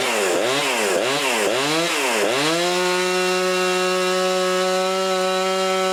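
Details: Husqvarna 350 18" chainsaw after rebuild with new cylinder, piston, ring and gaskets, muffler gasket left off (possible exhaust leak): blips up and down, then holds a steady high scream, no stumble or surging; normal running.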